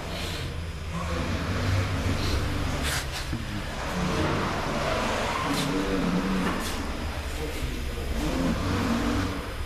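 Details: 2013 Hyundai Elantra MD, 1.8 G4NB petrol, cold: a dull, uneven knock under the running note. All cylinders are scored and the piston skirts are slapping, not the hydraulic lifters.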